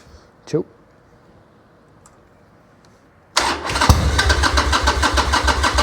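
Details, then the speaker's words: Harley-Davidson 1200 Sportster after rejetting the carburettor in place, starts and settles into a strong even loping idle with no misses or knocks; checked for fuel leaks. "Man, this thing sounds so good. Man. All right, check see if it's leaking."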